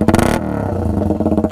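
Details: KTM RC125 with Danmoto XG-1 performance exhaust fitted without baffles, recorded on GoPro: harsh, very loud single-cylinder bark with sharp popping pulses as revs fall; straight-pipe loud, baffles/dB killers ordered.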